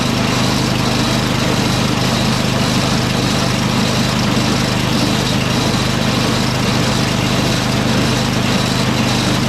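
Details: Craftsman 827 snowblower test-run before a Toro 38150 8 hp Briggs engine swap, auger and drive disengaged, half choke, electric start: steady, even small-engine drone holding one speed with no misses or surging; runs fine on its own.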